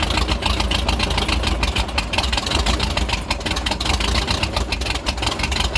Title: Rough idle after snapping throttle